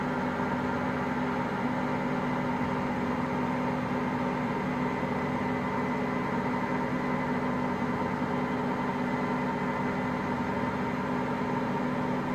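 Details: Hotpoint Aqualtis washing machine, drum bearings just started failing: steady low rumble under a droning hum as the drum turns, no knocks; early drum bearing wear.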